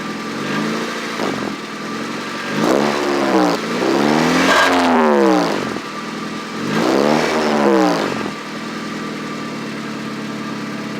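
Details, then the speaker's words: Car engine revved in short bursts with a raspy, puffing exhaust leak caused by broken exhaust bolts. "Yeah, so exhaust bolts broke, so yeah, have a listen."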